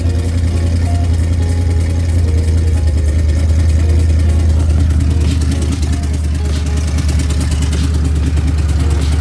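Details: Mustang with a bone-stock two-valve V8, headers cut because they were welded without flanges: a loud, raw idle with a deep, fast, choppy burble and no muffling. Exhaust open at the headers.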